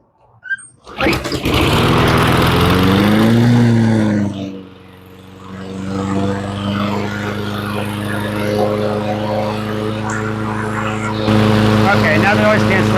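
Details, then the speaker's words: Toro Recycler mower with Briggs Quantum engine, which sat a year and wouldn't start, after carburetor cleaning: catches on the first pull, revs, dips, then holds a steady, even drone with no stumbling; runs healthy. "She sounds pretty good and she starts right up."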